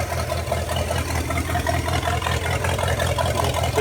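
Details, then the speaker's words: 1956 265 small-block V8, bought non-running, first run idling off the carburetor: low, even burble about two and a half beats a second, no knocks or misses; idles well. "idling off the carburetor I would say that sounds pretty good run out that is awesome"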